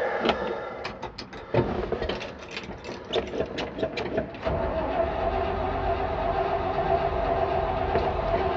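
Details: 1968 Chevrolet C-60 farm truck, 327 V8 with 2-barrel carb and hand choke: several seconds of slow, uneven starter cranking that never catches, then a steady hum; owner suspects flooding or the carb losing prime.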